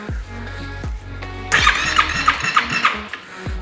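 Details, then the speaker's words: 2018 Yamaha YFZ450R bought non-running; compression test cranking with key on and throttle wide open, even pulses about three per second; reads just below 90 psi, usable compression, engine fine; owner suspects electrical issue and bad fuel. "It's just below 90, which is good. So that is usable compression."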